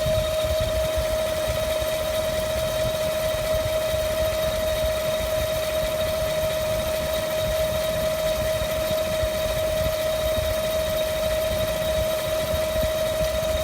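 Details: 2015 GM 5.3L V8 truck, 8,000 miles, idling with hood open, fans, AC and accessories off: sporadic high-pitched whine like a Roots supercharger, coming and going; belts fine, not from belt or fans; cause unknown.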